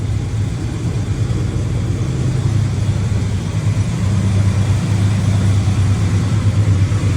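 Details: Engine after exhaust leak repair: steady, even low idle with no puffing or ticking at the exhaust, just a smooth rumble; sounds healthy and sealed.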